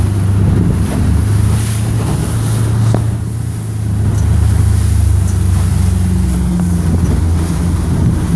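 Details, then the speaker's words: 2016 Mercury 115 four-stroke outboard running a smooth, even drone at steady 3,000 rpm in wind, with no stumble; normal after a misfire cleared by resetting. "Okay, back to 3,000. Everything is good."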